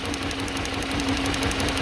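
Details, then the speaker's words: BMW-era Mini with N12 petrol engine and six-speed, low compression on one cylinder (tested, PSI unknown): uneven, lumpy idle with a steady stumbling beat and faint buzz; running on three cylinders, misfire. "We don't actually know what the PSI is, but we know it's low. And it's definitely running on three."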